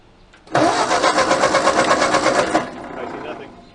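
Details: 1939 Ford 9N tractor that sat 25 years, fitted with a used engine rebuilt 30 years ago: steady starter churning for about two seconds with no firing. Spark was bright after a coil change, then vanished; switch contacts suspected, not confirmed. Cranks but won't start.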